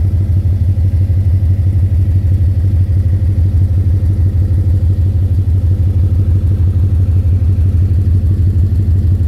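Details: 2010 Ford Mustang GT V8 at idle: loud, deep, steady knocking about three per second, louder near the oil pan and the torque converter/transmission. Owner was told rod knock or lifter tick and wonders about a loose torque converter; unconfirmed.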